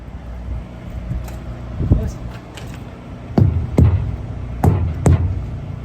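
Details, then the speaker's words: Crete Carrier semi truck's tires checked by thumping at Lowe's distribution center, Mount Vernon, Texas, after a tire problem and air fill; several sharp, solid thumps with quick tight rebound, no dull thud; all tires sound tight as a drum, properly inflated. "you can really base that on the sound of the yeah they all sound tight as a drum"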